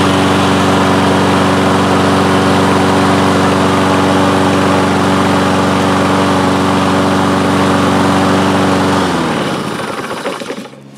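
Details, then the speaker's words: Toro Recycler mower, Kohler single-cylinder engine, after fitting a replacement main jet from an aftermarket carburettor: even steady drone, no surging or hunting for nine seconds, then clean shutdown; normal running. "so that feels pretty good sounds sounds much more smooth that's not surging or hunting as it was before"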